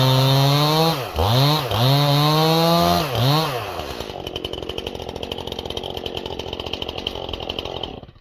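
Saw revs high a few times, then drops into the log and pulls down steadily under load without stalling, a healthy, sharp cut.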